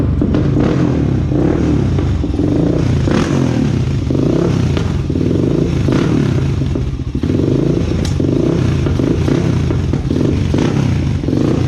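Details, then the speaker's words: 2001 Honda TRX400EX on a test ride after a small ticking noise: single-cylinder thump rising and falling with throttle at about two mph walking pace, no ticking heard, running normally. "foreign y'all yeah I don't really hear no ticking noise y'all let me know what y'all think do y'all hear the chicken noise yeah I don't hear no ticking noise y'all"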